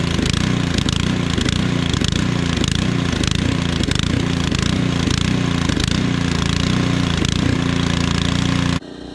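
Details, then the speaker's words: Powersmart 212cc 26" snowblower, cold, choke being adjusted: small engine pulsing unevenly, rising and falling about every half second; surging mostly stops once warmed up. Engine surging when cold. "all right guys so in that last shot you can kind of hear the snow blower surging I was just playing around with the choke a little bit before we got over here to start snowballing"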